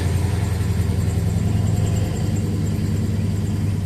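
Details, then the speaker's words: 1969 Dodge Dart, sat 6 months with 10% ethanol gas, running on makeshift external fuel supply, good oil pressure, carb problem again, owner says lean then super rich; low, slightly lumpy, uneven idle: rough idle. "It's a little cranky. Running a little lean. Yeah, there's something wrong with the carb again. It's running super rich."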